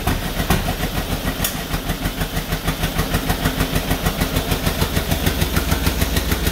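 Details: 1949 John Deere B two-cylinder, first start after rebuild on used spark plugs: slow heavy putt-putt about 200 beats a minute with uneven pulse strength, running rough; owners suspect throttle or a plug, cause unconfirmed.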